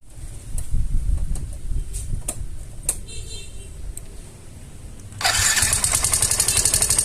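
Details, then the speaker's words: Yamaha Fino 125 scooter at low idle: loud, uneven clacking from the top end. "Pada video kali ini saya kedatangan Yovino 125 dengan kendala suara berisik dari bagian mesinnya teman-teman. Teman-teman sudah melihat tadi, mendengar bahwa suaranya sangat berisik sekali."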